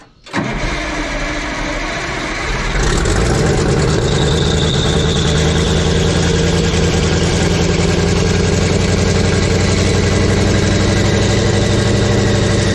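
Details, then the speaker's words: Abandoned Clark wheel loader being revived, cold engine; catches after a short crank, is held at high, slightly uneven revs near redline, then dies when left to idle; cold engine stalling at idle. "oh she died out what the heck you know you really just hate to redline a cold motor like that but it sounds like that's what she wants"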